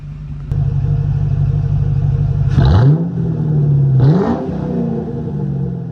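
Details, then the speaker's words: 2003 Ford Mustang GT, hood open, warm after a drive, following new MSD coils and spark plugs that cured a misfire: steady idle with two quick clean blips rising and falling smoothly, no stumble or popping; revs healthy. "runs very healthy now very healthy I'mma put you up give you some revs"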